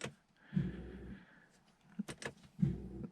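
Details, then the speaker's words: Non-running Audi A6: two short bursts of a starter motor whirring freely without turning the engine; owner suspects the solenoid not engaging the starter, and that the transmission not reporting park also blocks starting. "And there might also be a problem with the starter cuz you can hear the spinning of the starter, but it doesn't engage. So, the solenoid that engages doesn't work."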